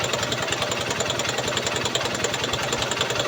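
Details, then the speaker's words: Honda CB Shine single-cylinder bike after carburetor cleaning for a petrol leak, idle speed adjusted: steady even putter about three to four beats a second with no misses or surging; idling smoothly. "Idea speed adjust பண்ணிட்டேன் adjust பண்ண பண்ணி பாத்துட்டு headlight gear போட்டு பாத்தீங்கன்னா உங்களுக்கு engine sound பாத்து அதுக்கப்புறம் வந்து அட்ஜஸ்ட் பண்ணிக்கலாம்"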